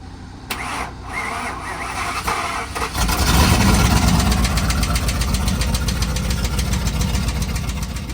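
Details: 2008 Ford F-150 King Ranch, 5.4 3-valve Triton V8 at 197,198 miles, cold start: cranks, catches, then a fast metallic ticking rattle about four per second over idle; timing chain or phaser fault suspected before chains, phasers, tensioners and oil pump were replaced.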